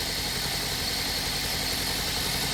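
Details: Toyota Corolla with P0303 cylinder 3 misfire and flashing check engine light; engine shaking, fuel smell from exhaust. Steady idle with a hissy, slightly uneven beat and no clean rhythm: single-cylinder misfire, rough idle.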